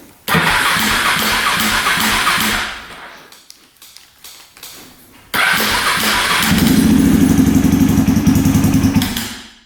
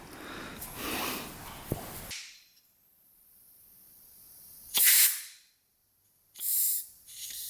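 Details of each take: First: 2003 KTM SXC 625 Supermoto single-cylinder that won't run right, before repair, cranked with the choke on and fuel turned on. It catches and dies within seconds, restarts, revs, and fades out again. Stalling after start. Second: 2003 KTM SXC 625 Supermoto, fuel tank vent check on the gas cap while diagnosing poor running. Two short sharp hisses as built-up pressure is released. Tank vent valve working normally.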